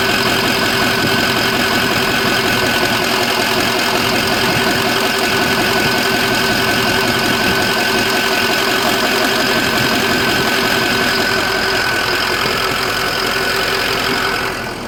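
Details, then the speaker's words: 2004 Ford F350 6.0L Power Stroke diesel just restarted after blue spring upgrade with adjustable fuel block: steady, even diesel clatter with a bright turbo whistle until the engine drops away; normal idle, despite a known coolant leak. "Definitely started it back up just to record that noise. Ain't nothing like a turbo. They sound amazing."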